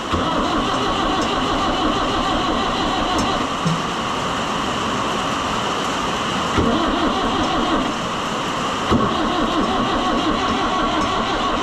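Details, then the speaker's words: Oliver 1365 (Fiat 640) diesel tractor with air in the fuel after fuel filter work, battery at 12.3 V: long, even starter churning with no catch and no start; owner plans another way to get it going to avoid ruining the starter. "Yeah, we're probably not going to make it again. I'm telling you, once you get air in these, they just do not It's a struggle."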